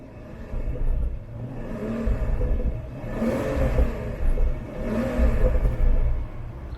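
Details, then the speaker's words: BMW 760Li F02 long-wheelbase, N74 twin-turbo V12, exhaust in Comfort mode with flaps closed: deep smooth rumble through a couple of muffled revs, quiet exhaust with faint pops; healthy engine. "it pops a little bit and let's try it in sport plus yeah it's popping a bit more i think it seems to rev a bit quicker as well in sport plus doesn't it sharper on the pedal"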